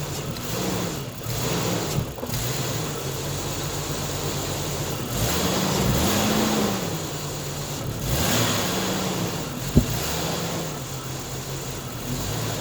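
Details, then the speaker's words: Jeep XJ first start after an exhaust manifold replacement, run briefly because the injector O-rings are dirty. Smooth, quiet, even idle with a couple of blips and no exhaust ticking or leak puff; much quieter than before: normal idle. "i'll just make sure it starts up and doesn't leak that's a lot quieter than"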